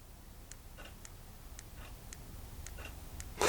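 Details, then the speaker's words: Old RC servo on a servo tester gives sharp regular clicks about twice a second but never turns: battery holds voltage but lacks capacity/current to drive the servo. "although it is holding the voltage it hasn't got enough actual capacity there's noph in it do you know what I mean there's no no grunt to to actually do anything you can hear it's clicking listen"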